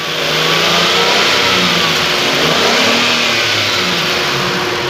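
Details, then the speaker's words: Datsun Go that was misfiring, after replacing the faulty No. 3 ignition coil: engine revs climb and fall cleanly under throttle with AC on, no stumbles or jerking; runs smooth. "Okay हो गई गाड़ी, कोई दिक्कत नहीं है, इंजन बिल्कुल स्मूथ है।"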